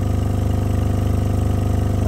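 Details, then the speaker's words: Repaired 3k W RMS full-bridge monoblock car amplifier driving a subwoofer at about 300 W; heavy steady low throb with high excursion, even pulse, no crackle or cutting out; normal amplifier output. "Look at this excursion on this puppy. I love the subwoofer. Sounds great musically. Definitely gets down to the lows."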